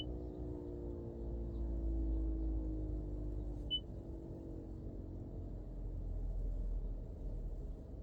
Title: Prius prime HVAC buzzing noise, maybe auxiliary heat pump going out?